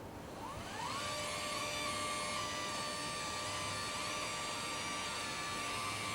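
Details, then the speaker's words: Permobil dual-actuator power leg rests: a steady electric motor whine with a faint wavering pitch, because position sensing speeds up or slows the faster of the two actuators to keep travel smooth; normal operation. "the actuators obviously move at different speeds because they're different actuators but the position sensing in there is keeping an eye on where everything is and if one actuator goes a little bit faster than the other it speeds it up or slows it down to make it a nice smooth"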